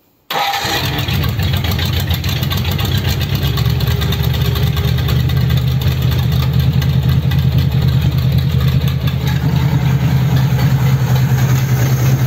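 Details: Rebuilt Ford 59A flathead on engine test stand, first run after rebuild with replacement crank, bearings and rods and rope-seal conversion: catches right away, then busy uneven low rumble that never smooths out; not running right after rebuild.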